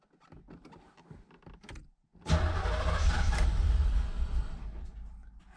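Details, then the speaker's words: 1986 Chevrolet Corvette Z51, low mileage, stored over 20 years, cranking with clutch in; starter churns about four beats a second with a lumpy, uneven rhythm, cause unclear. "clutch in huh well seems to be turning over good enough huh won't turn over without the clutch"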